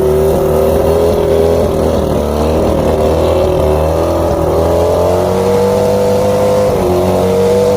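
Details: Outboard after plugs checked, fuel pump and carbs rebuilt, trigger loosened, spark confirmed on all cylinders: steady running with a thin wandering chirp and slightly uneven beat; rough idle, cause not yet found.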